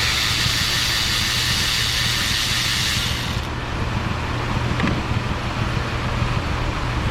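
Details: 2008 Ford Escape 3.0 V6, about 300k miles, hot, idling while plug boots pulled; lumpy uneven idle with irregular thumps and pops, two cylinders not firing at all: misfire, rough idle.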